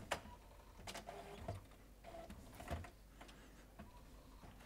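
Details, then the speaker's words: HP PhotoSmart C7280 all-in-one printing a self-test report after media sense sensor calibration fixed the Paper Mismatch/Calibration Error loop; quiet whirring carriage passes and paper-feed clicks in an even cycle, no grinding or error stops; normal printing. "see if we can get this to print this time sounds like this time it is doing the printing"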